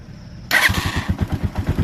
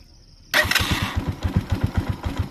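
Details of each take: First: Motorcycle, push-button start: brief starter whirr, then the engine catches at once and settles into an even thumping idle about ten beats a second; quick start, no problem. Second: Motorcycle, restarting after it stalled at idle: after a quiet pause the engine catches hesitantly and fires in lumpy, uneven beats; idle is set too low and needs a little throttle or raising the idle to rebalance the mixture.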